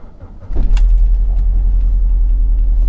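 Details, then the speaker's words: Cheap BMW Z4 convertible with service overdue by 38,000 miles, first start: lumpy, stumbling idle, obvious misfire running on three cylinders, engine light then flashing; cause unconfirmed. "got quite an obvious misfire there i wonder whenever the engine light's not on that's that's quite bad that's running on three"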